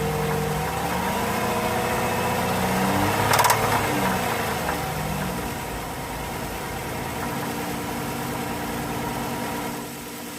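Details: 3.6 Pentastar V6 petrol engine at idle: a steady, fast tapping and ticking rides over the hum.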